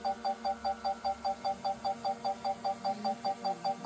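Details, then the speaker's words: Brand-new DJI Mavic Mini 4 Pro on its first flight gives steady high-pitched beeps about 2.5 per second. Owner guesses a proximity sensor warns of being too close to something, getting worse when descending; cause not confirmed. "so I don't know if you can hear that but you can hear like a a beeping noise I guess that's a bit like a sensor that's telling me I'm too close to something so if I come down that beeper noise gets worse"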